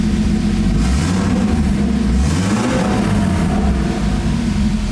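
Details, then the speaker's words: BMW E30 with a freshly rebuilt forged turbo M50, first start after the build: the top end is loud because the lifters are still bleeding. The rumble swells with a throttle blip and drops back to a steady idle without dying, though some fuel-map spots are running lean. "It's not dying right after I let go."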